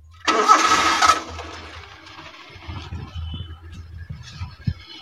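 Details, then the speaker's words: 1994 Daihatsu Zebra 1.3 (1300 cc, carburettor, points ignition), already warmed up: short crank, starts without throttle and settles into quiet, even low idle; engine sounds smooth and healthy. "mesin saya starter nggak pakai gas karena habis kita pakai juga mesin udah kita panasi nah untuk mesin suaranya masih halus masih enak"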